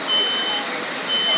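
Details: Fire department sprinkler demonstration: a shrill high-pitched smoke alarm pulses on and off about every half second over loud hissing sprinkler spray, still sounding after the sprinkler activated about 44 seconds in and put the fire out.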